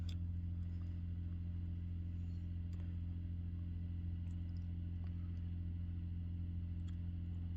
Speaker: so this is Asia lifestyle programmer and you can hear the noise coming out from the program off and on hot water mode please make noise